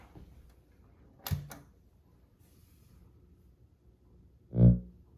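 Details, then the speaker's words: NAD 3020A amplifier at power-on: sharp click, then a single deep low thump/buzz through JBL J2050 speakers; owner suspects a bad capacitor, probably in the preamp section; plays music normally afterwards. "So I don't know if you heard that or not, but it's a kind of like a low pitch buzzing noise. It doesn't seem to do anything other than just make that noise when you first turn it on."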